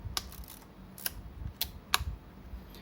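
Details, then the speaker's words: Yashica Electro 35 GSN after repair of a sticking film advance lever: crisp single shutter clicks and smooth winding ratchet, four firings in three seconds; this sound on each advance shows the shutter button was pressed fully; normal advance and shutter operation. "แล้วขึ้นฟิล์มครั้งต่อไปทุกครั้งจะต้องมีเสียงแบบนี้อ่ะถ้าไม่มีเสียงแสดงว่าเรากดไม่จมนะครับ"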